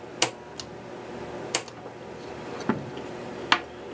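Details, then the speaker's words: 1961 Seeburg AY100U jukebox mechanism during clutch adjustment: four sharp isolated ticks about one a second, no motor running; changer clicks but won't cycle. "nothing's happening let's flip this up see what"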